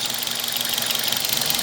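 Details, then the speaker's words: Toyota Corolla (Brad), warm after running with oil refilled between min and max: even idle with fast regular beat, earlier top-end noise gone, faint slight misfire remains; the noise was caused by low engine oil level. "Tá com uma falhaçãozinha bem de leve, mas aquele barulho que tinha já não tá fazendo mais. Então a gente pode concluir, depois de algum tempinho a mais de teste, que era o nível do motor baixo mesmo, nível de óleo baixo."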